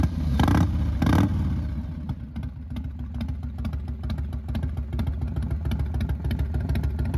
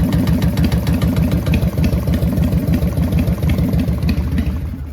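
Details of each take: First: 1999 Harley-Davidson Fat Boy after new Wood Performance cam, lifters, cam bearing and adjustable pushrods; two quick blips then steady loping even idle without ticks or clatter; runs clean, timing may still need a slight tweak. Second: 1999 Harley-Davidson Fat Boy V-twin with a newly installed Wood Performance cam, warm idle: loping idle with a light, regular peck about three per second. Ticking that owner suspects is a pushrod tube, unconfirmed.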